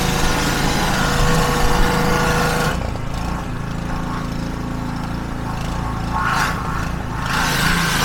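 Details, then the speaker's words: Petrol pressure washer (3000 PSI) after replacing the seized pump with a new one, first high-pressure water test with a leaking hose fitting: steady engine drone dips and deepens as the spray loads the pump, then recovers smoothly; normal running. "We have a small leak from the fitting, but watch this. Very hard to do one hand. That is powerful."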